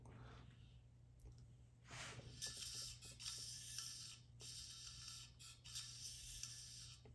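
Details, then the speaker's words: Bicycle wheel spun between zip-tie guides before truing: light rhythmic hiss of the rim rubbing alternately on both sides once per turn; out-of-true wheel rubbing. "so you can tell as I spin it you can hear it rub on both sides alternating so essentially what we're going to do is try to even it out to where there is zero rub noise from both sides"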